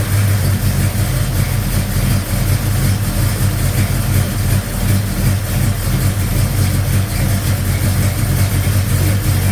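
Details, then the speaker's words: 1956 Chevy Bel Air 307 V8 at idle after fixing a loud diesel-like valve train noise caused by mismatched valve springs and retainers, running rich; smooth, steady rumble with no ticking or tapping: normal idle. "Retainers. Listen to that. Quiet. It's quiet. It's quiet. Sounds good. Smells rich."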